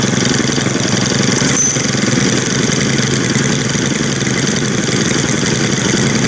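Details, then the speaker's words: New Stihl string trimmer, small two-stroke, first start on possibly poor fuel: buzzing at a low, slightly uneven idle with raspy crackle; idle speed set too low, then turned up. "Put up the idle a little bit on that one. That sounds better."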